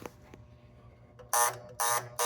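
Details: Gottlieb North Star pinball machine at startup: the first relay, the tilt relay, pulls in over and over in short buzzing bursts. The roll tilt ball sits forward, probably because the game rests tilted on a sawhorse. Tilt relay chattering.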